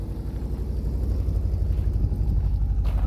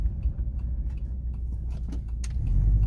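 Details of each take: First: Subaru Forester boxer at idle with newly fitted unequal-length headers (broken head bolts welded, one bolt missing): a soft, steady puffing tick about four times a second over the low rumble. Small exhaust leak remains after sealing, much quieter than before. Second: Subaru Forester boxer engine just fitted with welded-in unequal-length headers; a tiny leak remains from one missing bolt. Deep, loose, lumpy soupy rumble with an uneven burble and no knocks or ticks: a healthy boxer rumble.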